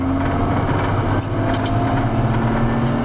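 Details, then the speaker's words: 7410 diesel tractor climbing the hill under load after an in-frame engine rebuild, with no blow-by now: a deep, steady drone pulling hard with no misses or knocks, where before the rebuild it needed a downshift to first. "So even though that engine's tight, it should have a lot more power than it did have. There is absolutely no blow-by at this point."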